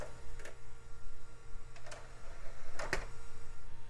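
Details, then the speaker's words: Early-to-mid-2000s desktop PC optical drive loads the disc label, then gives sharp, irregular ticks about once per second over a low steady hum; drive struggling and clicking, judged broken. "that drive works okay loaded the label but it sounds like it's having some trouble it's getting real Ticky in there yeah I guess that thing's not having a good time"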